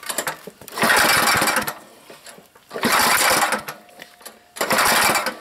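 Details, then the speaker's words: Old 3,000 W gas generator, long unused, with sludged oil and varnished old fuel, fired with carb cleaner sprayed in: short ragged bursts that die within a second; needs tank, fuel and carburetor cleaning; fuel starvation. "yeah alright it's gonna run have you heard it sputter so it's gonna run so I've gotta clean out the cast can your gas tank get some fresh gas"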